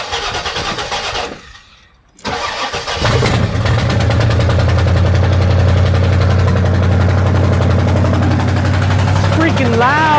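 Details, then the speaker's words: Chevy Nova V8 after an accident: cranks, catches and settles into a loud, raspy idle with a sharp ticking exhaust puff. A bolt punctured the exhaust manifold; an existing engine knock is still present. "that loud sound is because this bolt this bolt poked a hole in my exhaust manifold"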